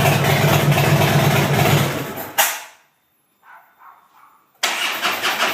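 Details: 2010 Harley-Davidson Fat Bob won't start: starter churns in an even rhythm for a couple of seconds, stops, then cranks again; the engine never fires, a crank-no-start.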